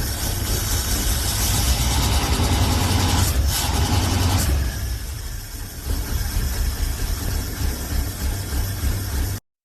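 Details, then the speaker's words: Hot rod V8: an uneven, lumpy idle dropping beats about three times a second and stumbling lower; the owner suspects it is firing on only six cylinders, not yet confirmed. "it sounds like [ __ ] right now I think it's firing like on six cylind there's there I died so I don't think I think we have a mire here"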